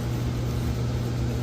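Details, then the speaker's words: Central AC condenser unit after capacitor and fuse replacement following a power surge that stopped it. Steady low electrical hum, compressor running smoothly with no clicks or rattles; house cooling again, normal running. "and as you can hear, it's working. It's running literally."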